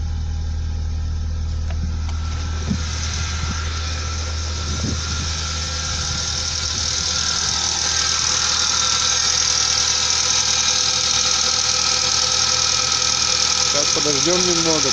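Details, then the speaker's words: 1998 Mazda engine hydraulic lifters tapping at idle after a cleaning/flush attempt: quick, even ticking about three per second, unchanged by the fix; lifters starved of oil. "как стчали так и стчат даже даже Ничего не изменилося"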